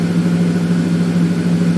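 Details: 2007 Ford F150 5.4 V8 idling after new Bosch fuel injectors were fitted for a misfire on cylinders 1 and 7, run only about a minute: steady, even low idle, no stumble, much improved, maybe air still in the fuel rail.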